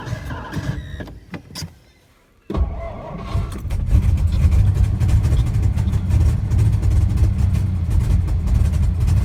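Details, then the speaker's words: 1963 Studebaker Lark sat since 2010, after an earlier backfire and brief run, given more gas and starting fluid: starter churns steadily for several seconds but never fires; crank-no-start, owner suspects the fuel needle isn't freed. "Come on. She don't like it. Jeez. What happened? Why don't you like running no more?"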